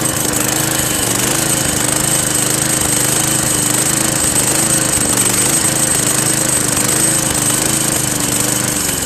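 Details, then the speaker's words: Craftsman Eager One 4 hp 20-inch push mower, Tecumseh engine, after carburetor replacement: steady, slightly wavering drone with a thin tinny buzz; suspected inner sheet-metal rattle, source unknown. "what that damn noise is from never heard it before you guys know what that noises anyway writing in the comments if you guys know"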